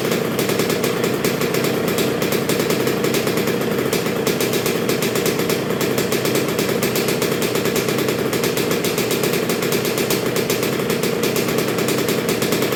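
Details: 1986 Honda CR125R two-stroke, new .060-over Wiseco top end, during break-in heat cycles with Keihin PJ carburetor: crisp and even with fast steady crackle, no misses or rattles; healthy top end.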